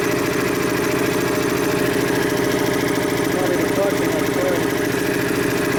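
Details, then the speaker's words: Dayton 240V 7-1/2 hp shop air compressor under repair, pressure switch being adjusted near 132 psi: motor and pump drone steadily about three and a half pulses a second without cutting out; pressure switch misadjusted so compressor won't shut off. "it's not staying off it's too closely on point"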